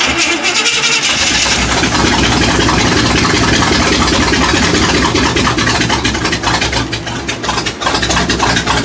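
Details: 1979 Chevy K20 with a supposedly rebuilt but untested carburetor, timing off: repeated cranking with brief ragged catches that never settle into idle; carb leaking fuel, engine won't keep running.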